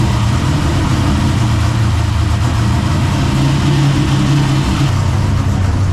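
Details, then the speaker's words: Freshly built drift car engine, first start with new headers: steady deep idle with constant low rumble, no ticks, knocks or stumbles; runs evenly though coolant temperature rising from air in system. "oh yeah buddy it sounds good sounds good dude that was one thing we didn't know about it sounds so good"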